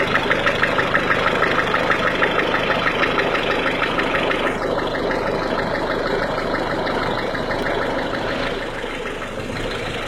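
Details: Cold Peugeot/Citroën 1.6 HDi diesel engine at idle: a sharp, even clack about three times a second over a rough idle, a cold-engine clatter; cause unclear.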